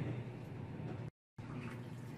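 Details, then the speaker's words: Auertech 28lb mini twin tub portable washing machine after priming the drain: low steady pump hum with water moving continuously, no air gulps; normal drain pump flow. "there we go there is a pump you just need to prime it first so get the whole siphon principle just make sure it goes through the first time and once it starts it'll continue popping out there you go"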